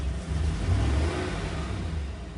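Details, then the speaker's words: 2008 GMC Yukon V8 cold start: uneven sputtering and stumbling under throttle, then stalls, until warm after 25–45 minutes; cause found as HO2S Bank 2 Sensor 1 short circuit causing misfire. "شوف الحين بدأت المشكلة، شوف. يبدأ تفتف. كذا. خلاص الآن يطفى."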